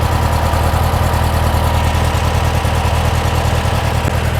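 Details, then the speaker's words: Porsche 356 Speedster VW-kit air-cooled flat-four idling after replacing remote oil filter hose to fix oil over-pressurization, oil cooler warming, pressure settling to about 40–45 psi: steady even low rumble, no knocks or misses; healthy idle. "cooler is getting warm so it is circulating obviously that's what you want sounds good yeah we're down to 40 45"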